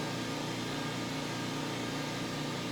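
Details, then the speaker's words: Eastwood Elite QST-30/60 scroll air compressor, new, running in a shop, about 67 dB measured a couple feet away. Steady soft hum with a light airy hiss, like an air conditioner, no knocks or rattles; running normally. "so as you can probably tell i don't know if my mic's picking it up or not but it's you know it sounds about like an air conditioner i could totally work on a car i could listen to the radio it doesn't really matter"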